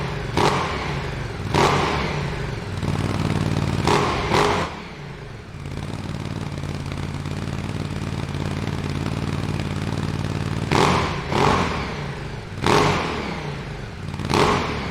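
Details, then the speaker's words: Ducati Desert X twin, Arrow decat exhaust fitted, warming up before a 10,000 km oil change: sharp throttle blips, then a deep steady idle with an even beat, no rattles or misses; healthy. "I need to warm this up so I can do my oil change, so I'm going to keep it running for a bit."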